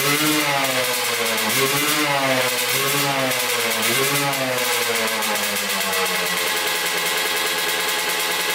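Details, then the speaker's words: Older Kawasaki KX125 two-stroke, carburetor leaking fuel and needle apparently missing: revs blip then hang flat and strained at full throttle, bogging badly; owner suspects power valves not opening, plans to check reeds and carb. "we can hear it kind of bog out when you do full throttle so when you go all the way down you can hear it bog out really really bad"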